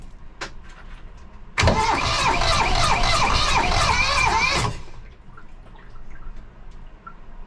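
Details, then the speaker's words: 1982 Catalina 30 sailboat engine starting after exhaust manifold replacement for a cooling blockage and water pump rebuild: brief crank, revs up about three seconds, then settles smoothly; a clean, healthy start. "so we're going to we're going to turn this thing on and we're going to start it up see what happens"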